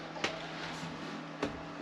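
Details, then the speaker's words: Diesel hob/heater in a camper van: steady fan hum with sharp uneven ticks from the fuel pump, drawing about 6.4–6.5 A; owner suspects an airlock that has since primed itself. "no no sooner did I turn my camera off the pump started clicking again and it's now drawing 6.4 6.5 amp so um yeah I wonder what happened there that's definitely clicking"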